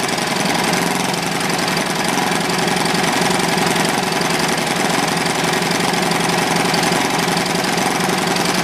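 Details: Old, worn Clinton B700-series single-cylinder engine (model B704, possibly ex-rototiller), choke on, runs at a fast, steady pace with an even note and no misses or surging; sounds healthy, a tad smoky.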